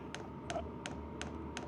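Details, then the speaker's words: Vevor Chinese diesel heater priming with a hard rubbery silicone cover fitted over the fuel pump: sharp evenly spaced ticks about three per second; cover did nothing, seems louder as ticking reverberates through the hard shell. "it doesn't seem to have done anything and in fact I would say it almost seems to make it louder it's just kind of reverberating through this uh hard shell"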